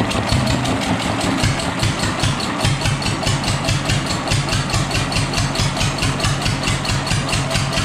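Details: Fully restored, disassembled and rebuilt Deutz stationary engine: an even, steady thumping beat with a crisp tick on each stroke; the old diesel runs cleanly and settles without hunting.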